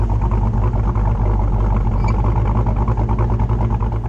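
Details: Dodge Dakota R/T V8 pickup with Scat Pack/Hellcat resonators plus added OEM Ram 1500 resonators: heavy droning low boom fills the cab at cruise, holding steady under light throttle; the resonator setup causes the drone, so Hellcat mufflers are planned.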